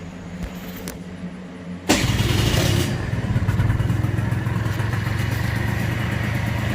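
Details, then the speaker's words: 1987 Honda Elite 50S, AF05E two-stroke, with a Malossi 65 cc big bore kit, warmed up to about 270 degrees, running slightly rich: fires after a couple of seconds into a steady, even, buzzy idle, throatier on the same exhaust; running fine. "it's definitely more Rohde now it's got a little bit it's the same exhaust but you can just hear the difference it's a little bit I don't know what other word you use besides throaty but definitely sounds a little different"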